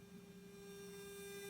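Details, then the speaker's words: Ground loop hum from a Korg NTS-1 synth: a steady low hum with a buzzy overtone at constant pitch under the audio. The noise changes when a device is switched off, and a ground loop isolator fixes it. "so i've recently discovered something i had like this noise going on with my korg nts1 i could hear some noise in the background"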